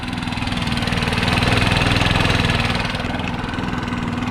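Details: Stihl BR600 backpack blower, first start after valve adjustment, previously idled long periods: quick, steady putter of about four beats a second holding even without stumbling; smooth healthy idle.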